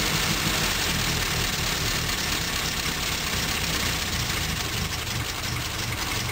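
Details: 1974 Morris Mini, 1400cc MiniSport short engine with ~10 miles, first start in seven years on choke, fresh oil but stale fuel: lumpy irregular idle, about three pulses a second, occasional misses; rough idle, cause unconfirmed.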